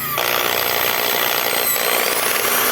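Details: Skil electric drill, before repair: high, raspy motor whine with a rough rubbing edge; the power cord kept the housing from closing and its screws weren't gripping, causing the noise.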